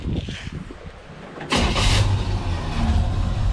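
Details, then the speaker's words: 1957 Chevy Bel Air after 30 years off road, fuel leaks traced down and thought fixed, radiator leaking; catches on the key and settles into even, steady idle with no misses or knocks; runs easy, quiet, healthy. "touch the key and it's happy it's quiet easy to drive"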